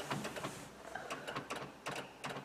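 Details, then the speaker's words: Honda Odyssey with battery going dead overnight, ignition off: sharp irregular clicks from a relay cycling in the sliding door area, cause of the parasitic battery drain. "definitely in the door and then there's a noise back here like just the clicking yeah"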